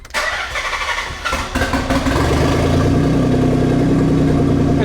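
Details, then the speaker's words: Nissan 300ZX starter test with battery reconnected during dump pipe and exhaust install: short, quick crank that catches within about two seconds and settles into a steady idle; starter motor working as before. "let's start the car and make sure that starter motors okay I'd say it's still doing exactly what I was doing"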